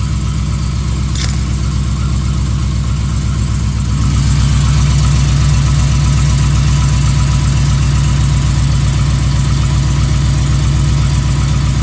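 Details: 2015 Ram 5.7 Hemi V8 with long-tube headers, almost 18k miles, idling: regular light knock, about two to three per second. Recently started, less noticeable when warm. Owner suspects piston slap; unconfirmed.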